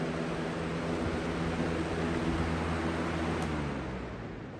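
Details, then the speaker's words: 20-inch Lakewood/Holmes box fan on high, open bearing with oil ports: even whoosh of air with low steady hum, no rattle or grind; average shaking, blade not out of balance; running normally. "it's about average when it comes to shaking it's not terribly bad like alaska"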